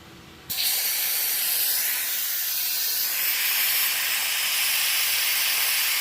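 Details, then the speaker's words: Compressed-air oil extraction machine used for Toro walk-behind mower service, valves opened to charge vacuum until gauge reaches mark; sudden steady high airy hiss holding level; vacuum generator working normally. "Wait for this vacuum to appear on this gauge here to go right round to there."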